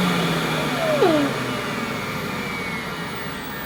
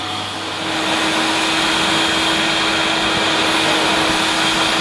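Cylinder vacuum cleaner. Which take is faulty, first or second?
second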